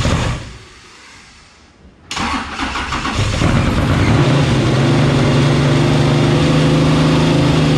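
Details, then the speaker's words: Camaro, 10.3L supercharged big block, at first start on Holley tuning, holding 170° temperature: loud, lumpy idle that keeps climbing and hunting. The idle was set lean at about 14.6 AFR, and it runs away when lean on a carburetor. "what happened was we had the idle pretty lean like right like 14 6 which is pretty standard for an idle on a gas scale car well james was like dude it sounds freaking it's just running away and on a carburetor it runs away when it's lean like this"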